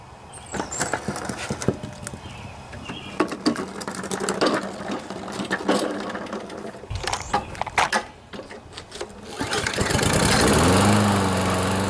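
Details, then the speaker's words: Briggs & Stratton 7.25 163cc OHV EX engine on Toro push mower, after head gasket replacement, clattering then catching into a steady even drone with no more huffing puffing; running normally. "No more huffing and puffing."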